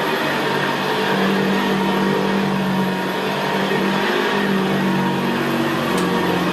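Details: 1975 Hoover Senior Ranger U4002 vintage upright vacuum cleaner on carpet: steady, very quiet motor hum with the low gravelly brushroll growl typical of the Ranger; normal healthy running.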